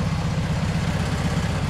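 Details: 1971 VW bus air-cooled engine after sitting two years, starter replaced, idling cold: steady, even low thrum with a regular beat and no knocks or misses; idling cleanly.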